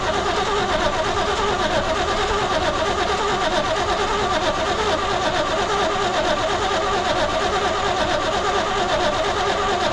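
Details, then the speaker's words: 1972 Chevrolet C20 pickup stored over 20 years, cranked on lawnmower gas squirted in with choke closed: steady starter churning for ten seconds, never fires; crank no start, owner suspects lifters bled down causing lost compression. "well sometimes when they sit this long the lifters bleed down and you lose compression"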